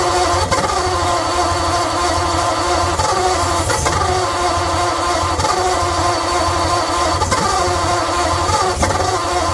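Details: 1948 Ford Flathead V8 on engine stand, leaky carburetor losing fuel, melty wire: cranks with steady churn and brief firing catches that won't hold; possibly fuel-starved.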